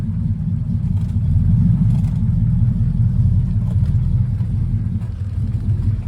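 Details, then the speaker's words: Triumph Stag V8, first start since about November, started first pop: deep, even idle burble with a steady low rumble, no knocks or misses; running nicely (car separately needs a new clutch). "She's running lovely. Yeah guys, it's started first pop, pretty good,"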